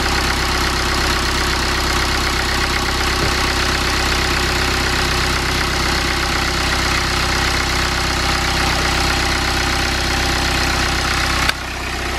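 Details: BMW N47 diesel engine, first start after timing chain replacement and reinstallation; earlier failure to start was a flat battery lacking amperage. Even diesel clatter at steady idle, rhythm constant with no misses or hunting; normal healthy idle.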